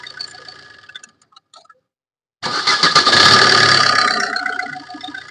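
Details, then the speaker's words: Maruti Suzuki Ritz diesel that creaks on starting, restarted with the drive belt removed: quick crank, then the engine catches and revs cleanly with no creak at startup. Normal engine start. "ഇപ്പോൾ ആ sound നമ്മൾ കേൾക്കുന്നില്ല ഇപ്പോൾ നമ്മൾ start ചെയ്ത സമയത്ത് ആ ഒരു സൗണ്ട് കേട്ടില്ല"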